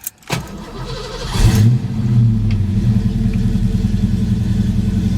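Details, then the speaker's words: Engine cranks briefly, catches, then idles with an uneven, stumbling beat and dropped pulses, smoking heavily; sometimes idles high, sometimes fine; owner believes an injector is hanging up rather than an internal engine issue; likely misfire. "thing it does is sometimes it idles real high but sometimes it idles and runs like a champ so i'm thinking it's not an internal engine issue see it don't sound like it's missing"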